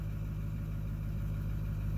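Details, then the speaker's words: 2009 Ford F250 6.4 Powerstroke diesel (emissions-deleted) after #7 injector replacement and clearing the injector adaptive table: low steady even idle rumble, no misfires, idle speed within spec, some vibration remaining. "It's still vibrating and stuff, but at least the engine sounds like it's running evenly a little bit."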